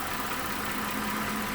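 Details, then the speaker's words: 2012 Mazda 6 3.7-litre after cooling fan module replacement, idling about 4–5 minutes: fan whooshes at a steady low speed over an even idle, with no surging or high-speed running; normal operation, and the new module fixed it. "Fired it up, and the fan seems to be not running up in the high speeds, not doing anything crazy."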